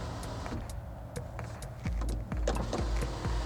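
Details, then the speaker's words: 2006 Volvo XC90 2.5T, 219,000 miles: sunroof opening with smooth, even electric motor hum and light clicks, stopping cleanly; sunroof works normally. "does have a sunroof so let's see if that works okay okay there we go that's good news"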